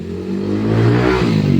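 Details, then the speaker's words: Cordless hair clipper before repair, battery also drains quickly: a loud, coarse buzzing drone that swells and wavers, far noisier than it should be; the cause is shown but not named; excessive buzzing noise. "Maingay ito dahil dito, tingnan natin ha."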